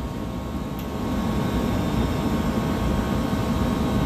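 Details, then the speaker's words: Copeland digital scroll compressor, with the set point raised: a steady low rumble that rises and firms up as the unloading solenoid kicks in, normal capacity cycling. "let's wait for it to start to travel down see now you hear it already kicks in solenoid"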